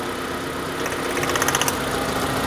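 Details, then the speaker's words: Proton Satria 1.5 12-valve, previously abandoned project car with low compression on cylinder 1; plug leads pulled one at a time: rough, uneven bag-of-nails idle with stumbling beat, running good on one, bad on two, misfire at idle. "Like a bag of nails. I put it back on. Look. Picked up. Okay. So, running good on one. Running bad on two."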